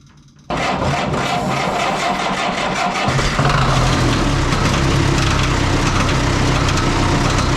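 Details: Oliver 66 diesel tractor after oil change to remove fuel-contaminated oil, electric fuel pump: fires and settles into a clattery idle with a quick light ticking on top; the fan blade is striking something.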